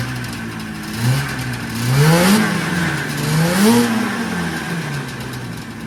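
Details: 1979 Yamaha SRX snowmobile two-stroke after fuel and cooling system work and fuel pump issues, first run with cooling system hooked up: clean blips climbing smoothly and falling back to steady idle, no misfire or rattle; normal revving.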